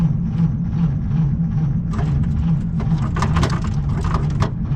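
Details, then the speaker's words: Slow cranking on a 1937 Chevy Master Deluxe coupe unstarted for about a year and a half: starter drags the engine over labored, about three compressions a second, never gaining speed; battery long unhooked is too weak, maintainer to be connected. "Okay, so it's not turning over fast enough, so I got my little maintainer. I'm gonna plug that in."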